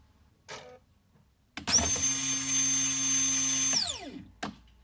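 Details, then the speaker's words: Fuel pump from the tank of a 1998 Jaguar XK8, which reportedly burnt through two pumps, on a two-second bench run: hard high-pitched whine over a steady hum. Sounds abnormal and unlike the other pump; cause unconfirmed. "Well, a totally different sound, that's for sure."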